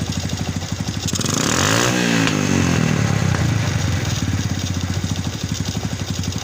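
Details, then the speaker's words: Yamaha Vega motorcycle with clattering "klatak klotok" engine, clutch slipping on climbs and jerking; loud rough clatter about three times a second, swelling as revs rise and fall; engine clatter, source inside engine unconfirmed. "jadi motor ini suaranya Klatak Klotok Klatak Klotok bisalah suka ngeplos selip ditanjakan juga suka loncat-loncat"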